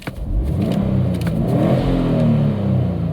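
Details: Subaru WRX STI with code P0171, snap throttle test: quick clean rev climbs smoothly and falls back evenly with no stumble or hesitation; the engine breathes normally.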